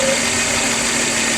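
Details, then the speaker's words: Car at full operating temperature after coolant hose leak repair; short, smooth, steady idle with soft hiss, no knock or miss; normal warm idle. "we are it is hot we are up to temperature we're up to temperature"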